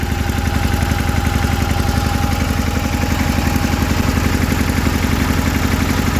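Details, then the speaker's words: Idle on a 1984 John Deere 316 with rebuilt Onan B43E (new rod, honed cylinders, rings, lapped valves), fresh gas and new fuel filter: about three pulses a second with an occasional stumble, a slight miss; owner suspects the carburetor needs rebuilding. "You can kind of hear how it's missing, but that should be pretty simple to get that rebuilt, then it should run pretty good."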